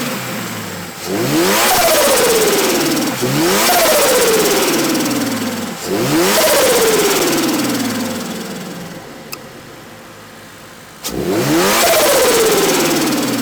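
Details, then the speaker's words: Turbocharged new-generation Subaru BRZ with catch can: four clean revs climbing and falling smoothly, no knock or rattle; not too loud when revved, healthy engine pulling freely. "so so sound is not too loud when you rev it"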